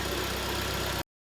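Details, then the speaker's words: Kia Sportage G4KD 2.0, 13 years old, 160,000 km, automatic AWD, with cylinder scoring and piston knock that is barely audible when hot: warm engine idles evenly and quietly, only faint cam phaser chatter. "Ну в данном случае никаких вопросов нет работает тихо маленько муфты слышно"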